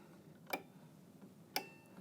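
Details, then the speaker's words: Marley LLC water level control panel, high level relay card (middle) test: wire from reference probe 13 to probe 16; two sharp clean clicks about a second apart as the relay changes state, light comes on, normal operation. "I'm going to attach this to number 16. Now you see the relay on the high level relay card here in the middle. Change state."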